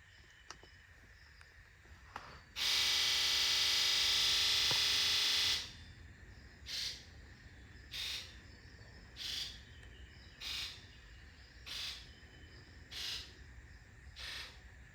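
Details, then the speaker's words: 2002 Ford F250 7.3 diesel, rough running and smoking, injector buzz test: after a loud burst, injectors click in a steady row about once a second; number 7 sounds muffled and dull, pointing to a bad injector. "Did y'all hear number 7? Sounded very muffled compared to the rest."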